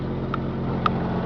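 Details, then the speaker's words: 1997 Jeep Grand Cherokee Laredo, inline-six 4x4, start-up; two short high chirps over steady engine rumble from a squeaking alternator belt that reportedly goes away after driving; muffler also starting to make noise. "you can hear that squeaking alternator belt"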